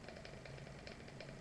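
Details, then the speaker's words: Eclair ACL camera motor after removal and reinstallation, screws retightened, one screw missing: quick busy rattling chatter over steady whir, much louder than before disassembly; owner unsure why, suspects the missing screw. "all right so you can see the motors going so I did get it in there and tighten up the screws again and I don't know why this motor is so loud but it used to be really quiet"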